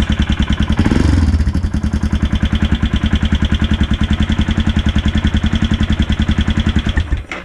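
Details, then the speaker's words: Himalayan after starter motor repair (previously clicked and shorted out all power), in neutral: starter spins, single catches straight away and settles into an even steady thump; starting normally. "turn it on it's in neutral three two one oh yeah it works"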